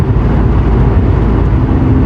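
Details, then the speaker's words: Toyota Cressida MX83 after engine swap, muffler from an RB26 RX7, steady cruise: smooth low engine rumble without drone; normal quiet exhaust while driving. "yeah the exhaust it's super quiet which is the whole reason why i threw that muffler on here"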